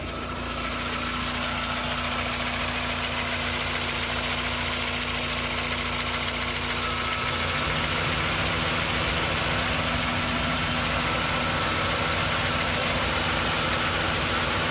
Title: Miata ticking noise with rev